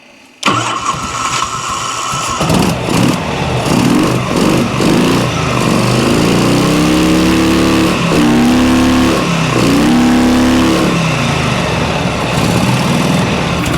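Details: 1986 Harley-Davidson Electra Glide V-twin, air breather off, after raising the idle: catches and settles into a steady, slightly lumpy idle without galloping, about 18 psi oil pressure; normal idle, though not charging (about 11-12 V).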